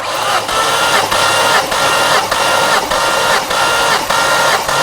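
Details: Cranking during a compression test on a car with a coolant leak; starter whirs evenly with steady pulses about 100 a minute, no drag; cylinders read 185–190, good compression, though head gasket still suspected.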